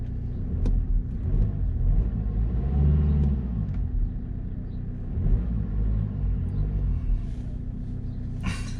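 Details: 2013 BMW F30 318 started right after an oil, oil filter, air filter and cabin filter service: low, steady rumble with no knocks, ticks or misses over several seconds; smooth, even normal idle.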